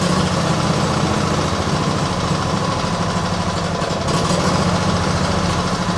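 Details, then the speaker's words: Small petrol engine with automatic choke, started cold at idle: steady low drone with slight unevenness, rough cold idle; owner suspects choke acting up or water in fuel after washing; carb never cleaned, cause unconfirmed. "Which I imagine is acting up a little bit. Nah, we got something else going on here. Maybe when I washed it, I accidentally introduced water into the fuel system or something."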